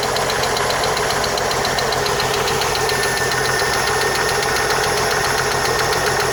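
Steady idle with a light, quick ticking riding over the engine, even and constant; source of the tick not identified.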